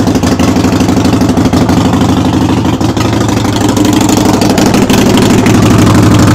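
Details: Harley-Davidson Sportster (the wife's) in neutral with the rear tire jacked off the ground, started for a brake light switch repair. Loud, uneven clatter rides on a lumpy V-twin idle, about three beats a second. It rattles "like a freight train"; cause unknown.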